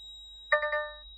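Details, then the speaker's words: DAF XF/CF truck, ignition on after fitting a new smart air control unit: a cab chime of three quick notes over a steady high whistle, warning of an amber Air Supply System malfunction and engine malfunction before ECU adjustment. "and our engine malfunction in Amber so ignition's on as you can hear it's still beeping away"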